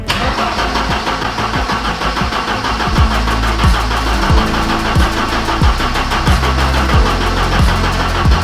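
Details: Abandoned Ford Sierra Sapphire RS Cosworth, not MOT'd since 2014, start attempt with new fuel lines: even unbroken starter cranking at a steady beat, no catch; it is not starting.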